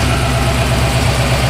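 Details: Ford 351W new Mabbco short block, about 500 miles, warm after driving, after rear main seal fix for a squeal/scraping that only occurred hot: smooth even V8 idle, steady low beat, no squeal or scraping; healthy.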